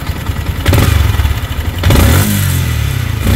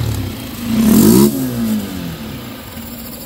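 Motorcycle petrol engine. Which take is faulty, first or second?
first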